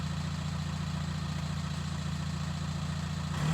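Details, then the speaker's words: VW T5 Transporter diesel, 287k miles, just started with a new homemade stainless straight-through exhaust: deep, even idle with a throaty low drone and no knocking; healthy normal tickover. "so I literally I hav started now so I don't want it too throaty that has got a throaty tongue to it"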